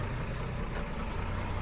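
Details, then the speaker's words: 1966 Jaguar S-Type 3.8, cold-start carb switched off at about 30° on the gauge (original switch should cut at 37°), still slightly cold: steady, low, even idle with no misses or knocks. "all turned off and Runing nicely still a little little bit cold"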